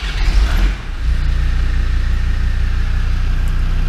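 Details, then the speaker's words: Land Rover Discovery 2 TD5 diesel after in-tank fuel pump and filter replacement: brief crank, catches within a second, smooth even idle, fuel pump now silent; clean start. "simple as that she's always coming away i see and it's nice and quiet i can't hear that fuel pump wheeling away silent perfect literally exact results we wanted"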